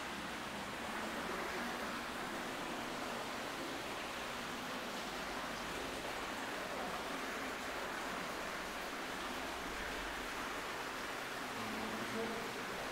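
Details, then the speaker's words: Sewer lift station check valve leak heard through a stethoscope on the header pipe; constant rushing hiss with no rhythm along the pipe as fluid leaks back through the failed check valve. "you can hear it yeah you can hear it hissing right yeah so that's pretty good because i don't even know if you knew it was this one"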